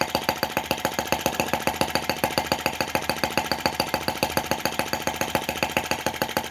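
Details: Brass half-tracked Lanz-type T16B model tractor on its first run, in reverse. An even, slow single-cylinder thump of about three and a half beats a second, steady and clean: normal running.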